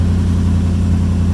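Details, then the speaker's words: 1951 International rat rod, first start after Toyota wiring work: deep, smooth low hum with a steady pulse and nothing rattling or knocking; idling cleanly and running well. "I can't believe she's alive. And it's running good too."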